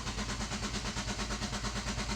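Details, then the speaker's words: Nissan Juke, push-button start, cranked with accelerator floored and brake pressed: even starter chug about nine beats a second, every stroke equal; compression sounds fine across all cylinders despite a stored cylinder 2 misfire code. "you could probably hear that um it sounds perfectly fine as far as compression wise"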